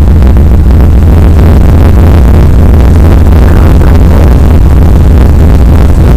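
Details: 1993 Chevy Blazer after fuel pump replacement, test start: a deep, steady low rumble with even firing and no knocks or misses. Fuel pressure was about 62 psi with quick bleed-down; the engine is judged a runner.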